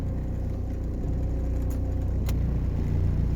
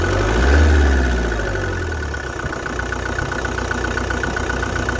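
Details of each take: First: 1993 Vauxhall Cavalier Mk3 1.7 turbo diesel (indirect-injection GM engine): rough at idle, but steady, even deep diesel drone once revs are raised; engine runs smoothly off idle. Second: 1993 Vauxhall Cavalier MK3 1.7 indirect-injection turbo diesel: starts and settles into a lumpy idle with an uneven clatter of about four beats a second; idle is rough but smooths out when revs rise.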